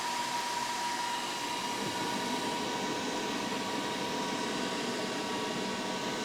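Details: Laser engraver factory exhaust fan with inline exhaust fan switched on, airflow rising from 2.93 to 3.58 m/s; steady airy rush with thin high whine as the factory fan spins faster than it's supposed to; factory fan overspun by inline fan.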